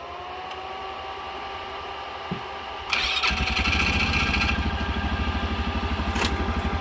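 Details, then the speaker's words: Mule utility vehicle with a weak or discharging battery, jump-started with a portable jump pack; it catches on the first try and settles into a steady, even idle thump. Normal start. "okay first time every time so again no go boost Pro these things seem to work all right"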